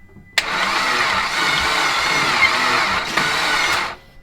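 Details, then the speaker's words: Blown Mitsubishi Evo X being rebuilt, cranked with likely no oiling: starter spins engine evenly about three seconds with no clank or rattle, owner sees no sign of a broken rod; engine cranking without knock. "that I really like that I don't hear anything rattling that's a good sign if you had a broken rod it'd be like Clank Clank Clank Clank Clank"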